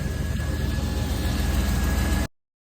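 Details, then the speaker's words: 1993 GMC C1500, TBI 350 V8, after fixing a serpentine belt squeak caused by a tensioner pulley that was not flat and didn't spin true (not its bearing); smooth, even idle with no squeal or chirp: normal belt drive, no squeal. "for now I solved the squeaking problem and it was The Idler the the tensioner pulley but not because the bear in itself but because the pulley itself is not flat"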